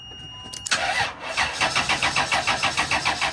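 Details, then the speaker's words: 1998 Chrysler Town & Country, 20A Engine/ASD fuse: starter cranks in steady pulses about three a second, never catches, fuse blows instantly; big short in harness, burnt wiring to upstream O2 sensor. "Wait, wait. Okay, this time it did it right away. So, this time it blew right away. So, that should be a big short."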